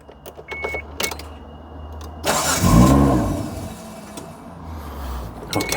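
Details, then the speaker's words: 1995 Mitsubishi FTO GR, first start after 10 years, exhaust broken at the rear, won't idle yet, fuel pump working: it catches quickly and gives a clean rev that settles to a steady even run with no misses. Sounds healthy. "She sounds nice, not going to lie."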